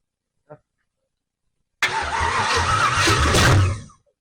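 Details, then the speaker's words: 1968 Camaro 327 V8, rebuilt then sitting 15+ years, Powerglide: brief crank catches and fires into a rough but steady run for about two seconds, then shuts off; normal first start. "yeah sounds promising"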